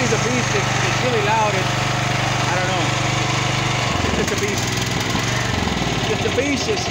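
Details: Champion 9000-watt dual-fuel electric-start generator, previously backfiring and stalling after about 10 seconds; after the fix (wiring), keeps humming with a small speed dip midway but never stalls; running normally.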